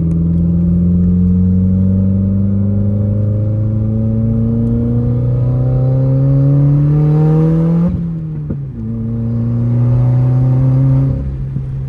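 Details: Subaru WRX with entire exhaust removed, revved outside while diagnosing a suspected problem: raw open exhaust climbs with revs and drops off throttle; loud and unmuffled, sounds good but not fully right, cause unclear.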